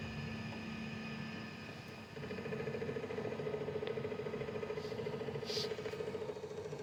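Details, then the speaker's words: QiDi Q1 Pro direct-drive extruder with filament repeatedly stuck: a steady, rapid ratcheting grind of about three clicks a second over a faint hum. The feeder gears are slipping on jammed filament that cannot be pulled out. "the F's working but if you could hear that t you can see it it's trying to grab the filament and I can't pull it out"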